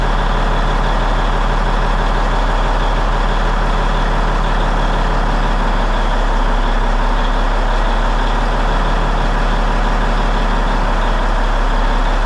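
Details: Peterbilt truck diesel, first start after cab refit with fresh fuel in the rebuilt tanks, warming up; steady, even idle with a deep low rumble and no knocks or misses; running clean.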